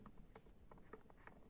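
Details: 2011 Kia Ceed electric power steering, column disconnected, shaft turned by hand with retaining plate lifted: light uneven knocks and faint rattle from the loose steering column shaft; cause suspected, not confirmed.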